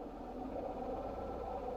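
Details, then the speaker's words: Chrysler Pacifica 3.6 Pentastar V6 idling, hood open, with busy uneven mechanical chatter; dealer diagnosed failed right-side intake camshaft, rockers and lifters; worsening daily, starting to shake the car. "So this went to the dealer and got diagnosed with a right side intake camshaft and lifters. So take a listen. You hear that thing chattering away?"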